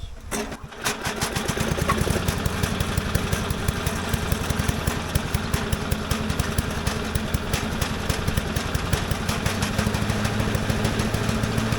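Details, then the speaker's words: Briggs and Stratton single-cylinder engine on Little Wonder blower, choked with a little throttle; catches after brief sputter then chugs at an even rapid beat, no knocking, slight shaking: normal running. "Little shaking, but not that bad."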